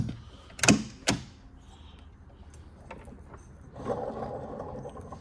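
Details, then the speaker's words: 1979 Chevrolet Camaro alternator on a bench tester: gritty, crunchy whirring from worn bearings, though it outputs a proper 14.86 V and passes ripple tests; replacement recommended. "Wow, that was noisy. Operating correctly, but we heard the crunchiness of the bearings."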